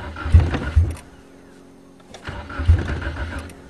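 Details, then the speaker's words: 1994 Nissan Sentra 1.6 cold start at −12 °C after a −16 °C night: no fuel pump heard priming, sputtering bursts that stumble and die then catch unevenly, smoking; hard starting when cold, runs well once caught. "i don't hear the fuel pump come on starts like the talon definitely not a cold weather car"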